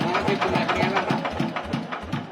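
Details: TF115 engine upgraded to 150, at idle before valve adjustment: sharp, even ticking about four to five times a second from excessive valve clearance; valves to be set with the engine cold.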